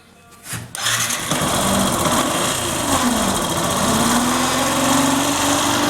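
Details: Factor 150 motorcycle engine: rough uneven mechanical whirr with faint rising whine, sounding like bearing or cam chain, disappears when stator connector unplugged; shorted stator, fixed by replacing stator.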